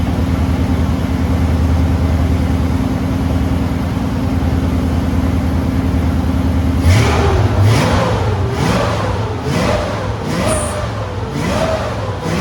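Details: Deep, even V8 rumble from a 1970 Ford Maverick with EFI-swapped stock 5.0L and new Flow Monster mufflers, no headers, filmed from the front; it picks up after about seven seconds with no squeal, since the belt was tightened.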